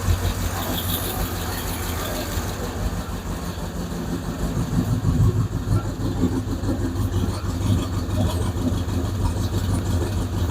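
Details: 5.7 Eagle Hemi V8 after replacing the lifters, exhaust just refitted: steady idle with a light uneven ticking of about two per second; the lifter tick is gone, with a suspected exhaust leak remaining.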